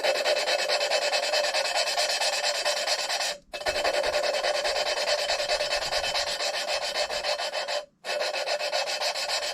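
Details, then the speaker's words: Hand-lapping a valve on an LS4 head (Grand Prix GXP AFM/DOD delete), spinning and turning it about 60° at a time: harsh, gritty rasping strokes about twice a second with pauses; valve face and seat not yet mated. "you'll kind of hear it once you start having the two surfaces really start to meet up you'll kind of start to uh you'll start to really kind of hear it smooth out a little bit it won't be so gritty and harsh"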